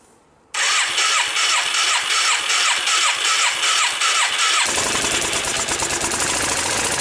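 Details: Yamaha Virago XV535 V-twin with replacement carbs cranks with a rhythmic whirr, then runs rough and uneven, missing and backfiring; owner suspects a breaking-down ignition coil, melted part seen; rough running engine with misfire.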